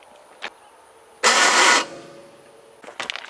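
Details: 1980 Chevrolet C10 Cheyenne with 377 stroker engine and big cam, just fitted with a new shimmed GM starter: harsh starter whir for about half a second, then quits; engine never catches. Starter shimming suspected, not confirmed.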